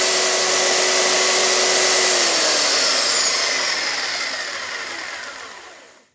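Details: Makita belt sander reassembled with all new bearings and gears, final test run with belt on: steady high motor whine with even belt hiss, smooth falling pitch as switched off and coasting down; healthy.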